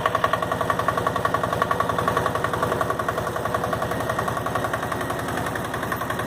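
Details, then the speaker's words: Late 80s/early 90s Yanmar YM122 garden tractor, 12 hp single-cylinder liquid-cooled diesel, just started cold at 70°F: steady idle near 110 beats a minute, sharp regular clatter each firing; normal cold diesel knock. "She sure is clattery when it's cold, though. Or when the engine's cold."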